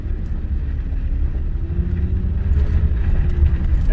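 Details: 2007 Honda Ridgeline after differential fluid change (per Honda bulletin) for a moan under light load on tight low-speed turns: low, even rumble creeping through repeated tight turns, no moan; rear differential now quiet and healthy.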